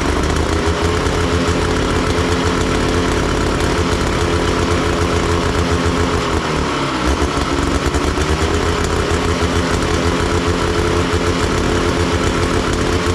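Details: Big Max 6x6 amphibious ATV, 440cc two-stroke, revived after sitting: a steady buzz that sounds rich and lumpy and never clears with the choke left on; rough running, and the owner suspects one of the carburetor adjustments.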